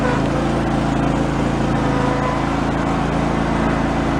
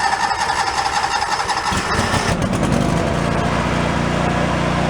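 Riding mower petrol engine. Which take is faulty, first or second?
second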